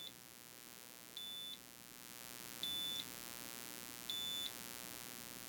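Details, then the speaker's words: WEIZE 2000W inverter on a bench supply ramped down to about 10 volts input: a high, shrill beep of about a third of a second repeats every second and a half, a low-voltage warning. "Okay, so that was just a warning, but at 9.8 volts, you can see the output actually was off."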